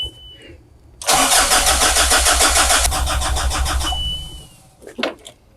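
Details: Mazda Bongo camper van with an intermittent battery/electrical fault: quick, even cranking at about three to four beats a second, a brief catch, then it dies. A weak electrical supply to the starter is suspected, not confirmed.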